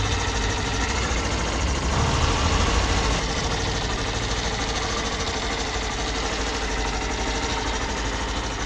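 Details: Hero Glamour BS6 XTEC motorcycle, low kilometres, with kick-start pinion removed: even single-cylinder idle, steady beat, no rasping or scraping; the khar-khar noise was traced to the kick pinion, engine smooth and quiet.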